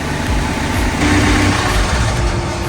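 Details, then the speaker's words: Sailboat's inboard engine running after steering and charging repairs, with the alternator now charging: a steady, even drone under constant load with no knocks, misses or surges; it runs smoothly. "We steer now. Yeah. We charge. The engine starts. Let's hope it stays that way."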